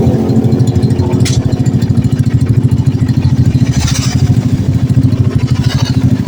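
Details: Honda Blade carbureted single, freshly rebuilt after running out of oil and seizing the piston: even idle thump about 200 beats a minute, no knocking or rattle, some smoke from assembly residue burning off; normal idle.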